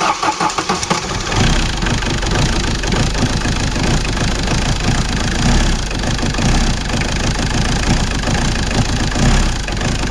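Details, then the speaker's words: Ford Sierra 1.8 TD diesel started on the starter right after a timing belt replacement and tensioner refit: brief crank, prompt fire, then a steady, even diesel clatter at idle; timing job successful, normal start and idle. "ça marche voilà notre distribution est remontée donc voilà notre distribution est montée le moteur il marche il démarre tout nickel"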